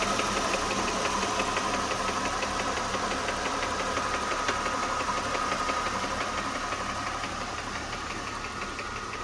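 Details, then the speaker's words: 2007 Mercedes-Benz C230, M272 2.5 V6, idling, codes P0016/P0017: sharp, even ticking about three per second, same cold or warm; suspected timing chain slap, guides or camshaft adjuster sprockets. "the noise is persistent with a cold or warm engine it does not make a difference"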